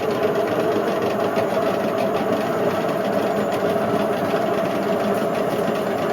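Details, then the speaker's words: Indesit IWC71453 washing machine, test spin: steady harsh roar with a gritty rumble as the drum eats into the plastic; the drum bearings are worn out. "The bearings are gone."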